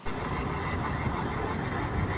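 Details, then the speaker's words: Inmotion V11 electric unicycle riding at constant speed: steady rough metal-on-metal scraping growl under road noise; owner suspects a bearing issue in the wheel, unconfirmed. "it didn't sound good and to me um it sounded like it was a metal metal scraping and the and the logical thing to me that would cause that is some sort of issue possibly uh in the bearing on on this wheel in this particular wheel"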